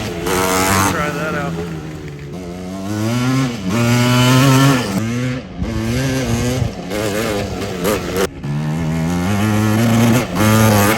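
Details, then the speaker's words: Yamaha Tri-Z two-stroke after top-end rebuild, baby tires fitted: raspy revving that flattens and burbles near the top instead of screaming clean, running rich (fat) at high rpm; may need jetting down after motor break-in; muffler rattle also heard. "Sounds like it's fat. Might have to jet her down a little, but I think it'll be good to break in the motor first."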